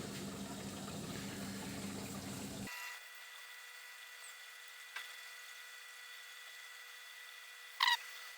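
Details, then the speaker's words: Bosch SMV50E10RU/D5 (Type SD6P1B) dishwasher, complaint hums and won't start, test on "glasses" program: drain pump runs, then recirculation pump test, due to make three start attempts before filling; steady watery pump rush, then faint hum and clicks, so normal pump operation. "слышал как сливает работать сливная помпа слив сейчас идет тестирование рециркуляционного насоса три пробы должны быть запуска после этого начнет заливать"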